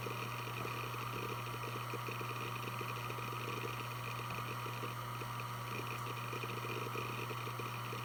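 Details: Western Digital Blue WD1600AAJS 160GB 3.5-inch 7200 rpm SATA hard drive, made 2014, only 17 hours, on a USB adapter copying files: quiet spindle hum, faint whine and soft rapid seek ticks. Healthy, normal spin and seek.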